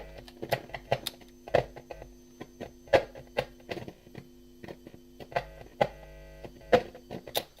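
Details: Arcade bartop cabinet being wired up: a steady low buzz under scattered clicks from handling the wiring and connectors. Interference.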